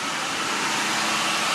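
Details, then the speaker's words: Lincoln Mark VIII: steady, even idle with a faint hiss and no misses, but it sits at 1100 rpm in gear, too high. Unplugging the mass air sensor kills the engine; the cause is not yet found. "Now if I put it in gear, of course, it's gonna drop, but it's still sitting at 1100 RPMs, and it's not where it needs to be."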